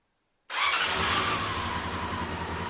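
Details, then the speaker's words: Honda CB-1 four-cylinder motorcycle during a refurbish, testing a new ignition switch before soldering it in: the engine fires at once and settles into a smooth, even idle. Normal start. "so oh before i go any further and solder everything in i just want to make sure that it actually works lights turn on crank's over"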